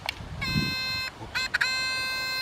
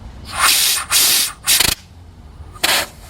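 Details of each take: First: GM EVAP purge solenoid on bench for P0496, powered by power probe: sharp click then steady high buzz while energized, cutting out and returning on reconnection; valve actuates but may still leak. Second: GM EVAP purge valve (code P0496, flow during non-purge) tested off the vehicle, unpowered, with air blown through: sharp bursts of hissing air pass through; valve leaks when it should be closed.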